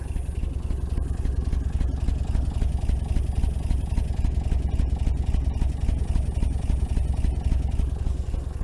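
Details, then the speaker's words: 1961 GMC K1500 4x4 sat 15 years, warmed up, idle set low: slow low idle rumble with light regular tap about three to four times a second, like a valve tap; owner suspects an exhaust valve stuck open, running on five cylinders. "So I've got this idle set pretty low. Still hearing like a valve tap."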